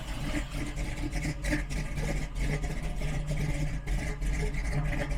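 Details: Big-cam engine just fitted with Aces Killshot Fusion fuel injection, just after first start: deep, uneven loping idle with heavy low rumble and no knocks or misses; a big cam running normally.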